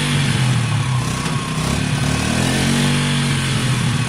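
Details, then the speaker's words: WK RT 125 motorcycle after new top end, idling on choke: steady even low putter, quiet and smooth, no knocking or rattles; normal idle. "okay guys as you can hear it sounds great it's very quiet it's smooth the choke is on at the moment"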